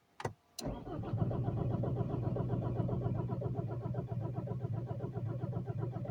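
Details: Alfa Romeo 159 1.9 JTD 8-valve diesel with burnt-out engine control unit, brought in on a tow truck with burning electrical smell and loose fuel filter: steady starter churning about four beats a second that never catches; crank no start.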